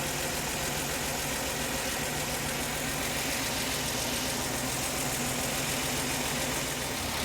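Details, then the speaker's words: Mercedes-Benz C240 C-Class just after fuel injector replacement, first start with an empty fuel rail: sounds slightly odd at first, then a steady, even idle with no misses or knocks as the rail fills. "sounds kind of weird because uh the fuel rail was empty but there it is you got to hear it bad boy sounds good"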